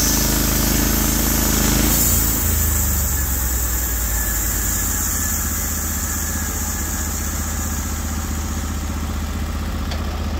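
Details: Norwood HD36v2 bandsaw mill, day two testing new roller guides (ceramics replaced), slabbing big black oak through bark, about 24 inches wide: engine note drops as blade bites, then holds steady even drone; effortless flat cut, normal load.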